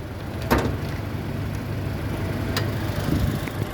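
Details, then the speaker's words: 2012 Toyota Kijang Innova 2.0 G automatic, 2000 cc four-cylinder petrol, rear-wheel drive, 49,000 km: low, even idle rumble with constant rhythm and no knocks or misses, a healthy engine at rest. "Toyota Kijang Innova ini mengusung mesin 2000 cc 4 silind dengan penggerak roda belakang dan ini bensilnya untuk memeriksa kondisi mesin masih oke Bisa kita pertama dengarkan suaranya pastikan bahwa suaranya halus"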